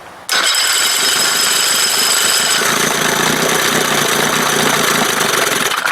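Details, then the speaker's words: 1971 Johnson 20 hp two-stroke outboard after carb swap, throttle pickup being adjusted between timing marks: fires and settles into rough stumbling idle barely holding on; low idle because throttle opening set too small. "okay I've got to open it a little bit more really should be adjusted over here put it up on start position"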